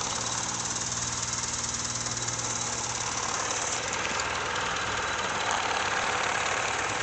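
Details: Honda Civic at steady idle with a faint fast tick, roughly three per second, over a hissy top end; sounds like an exhaust leak ticking.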